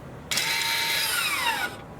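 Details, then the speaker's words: 2019+ Toyota RAV4 leaving rear brake service mode, brake pedal not pressed: short electric parking brake motor whir from the rear, about a second and a half, pitch sliding down as it loads; normal engagement. "Now when you're done, what you have to do is you have to pull this button up and hold. You will hear the motor noise in the back of the vehicle. This means that the parking brake gets back to its position."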